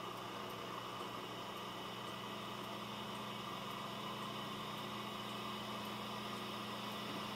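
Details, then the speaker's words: Dell Optiplex GX280 SFF desktop with a Prescott CPU and small heatsink under a heavy load test, CPU fan at its maximum, soft steady whir and low hum with no rattle or grinding; normal CPU fan at full speed. "That's about the max the fan gets. So that's pretty amazing for a Prescott chip that a dinky little heatsink like that is able to keep it cool enough to where the fan barely makes any noise."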